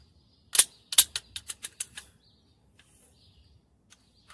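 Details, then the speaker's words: 1990 General Electric refrigerator, old defrost timer motor tested with 120 V present; quick run of crisp light clicks that space out and stop, no grinding or buzzing, timer motor working normally. "que miren el ruido obviamente es un timer que me sirve el motor está trabajando bien"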